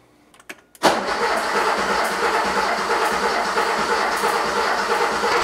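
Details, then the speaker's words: Porsche 911 3.2L Cabriolet after injector cleaning and reassembly, cranking with fuel pump relay and coil lead disconnected to build oil pressure: steady starter cranking, no firing, slightly lumpy beat about three per second, cause unclear. "all right so I got oil pressure kind of heard a lumpiness in there too I'm not quite sure why that is"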